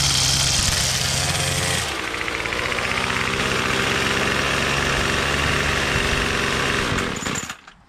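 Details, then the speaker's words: Troy-Bilt TB22 two-stroke weed trimmer after fitting a new $8 carburetor and replacement string, bump head spring cut to fit; fires and settles to a steady high buzzing run for several seconds before shutting off, running cleanly. "so that's it that's all it took was an eight dollar brand new carburetor and some string we got this baby running"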